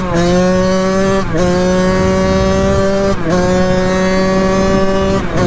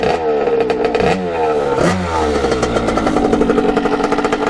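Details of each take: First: 1989 Kawasaki KX80 big bore two-stroke, warmed up after pilot jet changes, on a riding test run. Crisp note climbs cleanly through gear changes, dip at each shift; pulls healthy, though coolant leaks around the head, needing a new head gasket. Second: 1989 Kawasaki KX80 big bore two-stroke after pilot jet changes, blipped. Quick revs settle back with a burbly, slightly uneven crackle; smoking less than before, jetting still a touch rich, possibly needing a smaller pilot jet.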